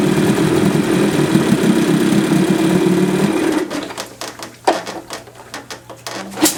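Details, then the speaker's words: 1978 Johnson 25 hp short-shaft outboard after carburetor clean fixing a no-start; smooth, even two-stroke idle for about three seconds, then shut off, running healthy with no missing. "Okay, so that 25 short shaft 1978 is running good. Carburetor was pretty bad."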